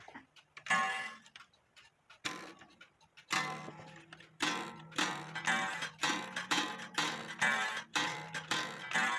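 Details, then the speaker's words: Black Forest wooden-movement clock made in 1860, after repair with bushed verge bridge, replaced wires and 1500 g weights: unevenly spaced bell strikes with faint clicks between them; the hammer still needs more adjustment, and heavier weights on the strike side are suspected to be needed. "So you still hear the clicking noise, which I don't like, but you do hear what it's supposed to make. So I just got to adjust the hammer some more."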